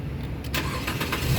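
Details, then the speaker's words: Nissan Grand Livina 1.5 SV automatic 2014, about 105,000 km, start check: brief crank, engine catches at once and settles to a steady idle without stumbling; a crisp start means battery and starter motor are fine. "Nah, pada saat kita nyalakan mobil, pastikan bahwa nyalanya itu jreng. Karena apa? Kalau dia nyalanya tersendat, berarti ada kemungkinan permasalahannya bisa jadi di akinya sudah soak atau di dinamo starternya yang bermasalah."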